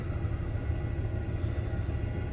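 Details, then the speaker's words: Truck started after sitting about 6 months, fitted with headers, second O2 sensor removed, catalytic converter retained: a deep, lumpy, uneven idle rumble. The owner blames the emission system, but this is unconfirmed. "I don't know how well you'll be able to hear on camera, but you can hear it's not running right. Most of it is because the emission system,"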